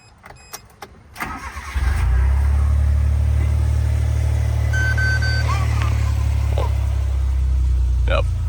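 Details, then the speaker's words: 1996 Suzuki Jimny: brief crank, catches at once and settles into a steady, even idle. It starts perfectly every time with no issues over many miles driven. "Yeah, engine starts up perfectly every time. Idle's great. I haven't had a single issue driving this thing around at all."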